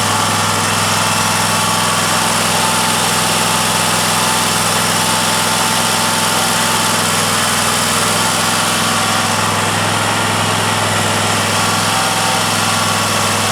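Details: Cub Cadet mower with Kohler Courage 750cc twin, started with starting spray, throttle near fast: steady, even engine note with no misses or surging; running smoothly.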